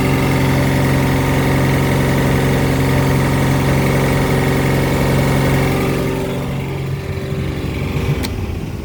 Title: Volvo Penta 4.3GL-E SX Stern Drive - Knocking noise